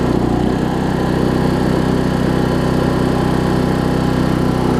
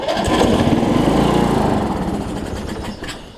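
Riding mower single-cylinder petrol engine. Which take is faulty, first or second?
second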